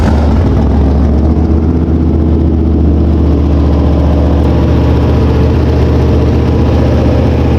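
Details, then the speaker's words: Mopar V8 race car after valve lash setting, carburetor jet change and oil change: strong even lope, clean steady firing, revving well, no ticking or knocking; lash good, no carburetor leaks, normal running. "There's no leaks in the carburetor anywhere, and everything sounds fine. It's revving good. It sounds like our lash is good."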